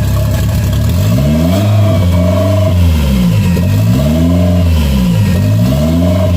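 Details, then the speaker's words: Engine idling smoothly after vacuum leak and idle repair with relocated bracket, no smoking; even idle climbs cleanly through several revs and drops back steady, no miss or stumble, runs healthy. "all right guys I don't know if you can hear me very well but it's idling pretty good um the good thing is that there's no smoking or anything like that so I'm pretty happy I'm going to try to spool it up a little bit to see how it sounds"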